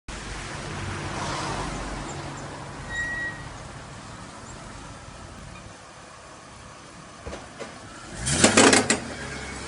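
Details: 2002 BMW X5 E53 3.0i: clusters of sharp knocks, rattles and pops in bursts while accelerating; CV joints and driveshaft already replaced without curing it, cause still unknown.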